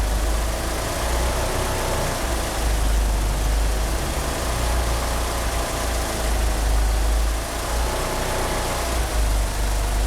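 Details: Car engine with 850cc injectors that cannot rev up, with the power-steering pump belt slipping; uneven, lumpy low idle rumble that wanders and never settles. Rough idle, cause suspected but not confirmed.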